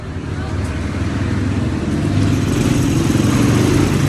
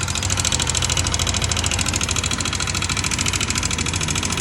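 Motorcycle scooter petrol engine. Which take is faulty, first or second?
second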